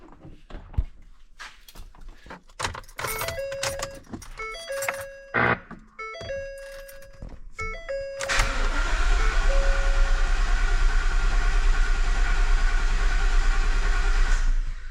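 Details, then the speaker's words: 2015 Ford F-350 6.2 after broken valve spring repair and rocker shaft reinstall, fuel pump fuse pulled, checking for odd sounds: door chimes, then steady even starter crank about six seconds, no knocks or clatter; normal cranking. "That sounds normal. Let's try it again. I don't hear anything abnormal."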